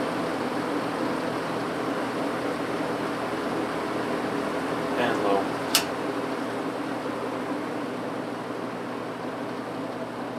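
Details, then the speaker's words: 1950s General Electric automatic reversible box fan, before cleaning, reversed on high. Constant smooth whoosh with one brief click partway, otherwise no ticking or grinding; sounds healthy. "I'll reverse it and run it up to high and we'll start on hot here we go"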